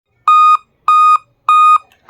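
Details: Dell laptop at power-on, beeping with no fix yet: steady high beeps near 1 kHz, each about a third of a second, repeating roughly every 0.6 seconds; startup fault code, cause unknown.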